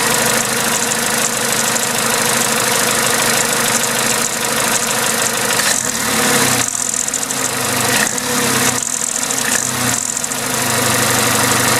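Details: Vauxhall/Opel A14XER 1.4 L naturally aspirated inline-4 petrol at start-up idle with a busy metallic clatter over the steady run; timing chain rattle that a garage called normal, but the chain later jumped a tooth.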